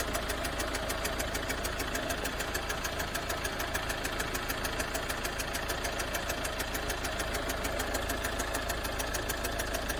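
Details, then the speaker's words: Vehicle idling steadily with a sharp, regular tick about three times a second over the engine; customer reports a strange noise sometimes while driving; source not identified. "customer States vehicle makes strange noise sometimes while driving"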